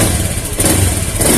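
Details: Honda Beat FI scooter during fuel pump and regulator testing: throttle blipped, it picks up cleanly and evenly with no stutter, though injector clicking is loud and the exhaust smells of fuel.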